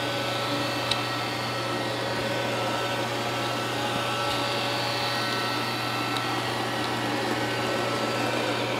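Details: Roomba with intermittent Error 5 after its main board was washed, first test run after oven-drying and reassembly: steady, even motor hum and soft brush whir, no grinding or screeching; running normally for now.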